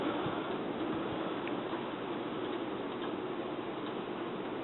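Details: Sears Emerson Turn of the Century 52-inch ceiling fan, about 1982–83, with an Emerson K-55 motor, on medium speed: a quiet, slow whir with faint, irregular light ticks. Cause of the ticking not identified.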